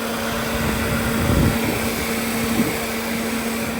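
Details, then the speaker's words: Ford Flex, single electric radiator fan powered directly from the battery through an emergency bypass wire: constant rushing air with steady low hum, no rattle or scrape; normal cooling fan operation. "No, they're not. Just that one. That's the one I got connected. So that's what kept my engine cool."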